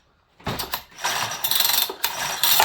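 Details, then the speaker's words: Farmertec 288XP kit chainsaw: quick ratchety recoil pulls spin the engine freely with not one firing pop; no spark, flywheel timing key sheared. "This thing broke the timing key. That's 100% why we don't have spark, I'm guessing, okay?"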